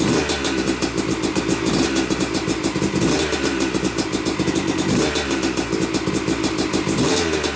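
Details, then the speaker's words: Yamaha YZ250 two-stroke motocross bike (250cc/270cc), first start after a full bottom-end, transmission, clutch and power valve rebuild; took a few kicks, heavy smoke from assembly oils, both normal; crisp even crackle with light rev blips, no knocks; running healthy. "well it runs it runs i'm i'm uh yeah i'm pretty tickled about that i mean it took a few kicks to get her going which is normal and you notice a lot of smoke and that's normal too"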